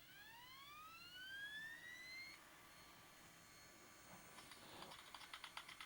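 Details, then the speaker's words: SCSI Jaz drive with disc inside, powered on the bench with terminator: whine climbs smoothly in pitch about two seconds, then holds steady tone with light ticking; healthy spin-up. "really the first question is is does this drive even work let me power it up and see if it spins up the disc is that good or bad"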